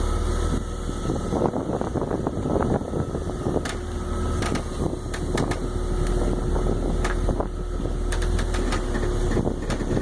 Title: 2002 330Ci - cracking/popping noises